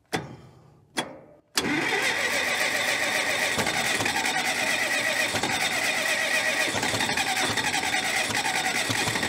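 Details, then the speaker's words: 1970s Cat D330C 4-cylinder diesel generator set, sat 10+ years, second cold start attempt: two short cranking bursts, then catches into a steady even idle without knocking; fuel and oil pressure good; normal start. "all right fuel yeah up good oil pressure good water you sound too bad"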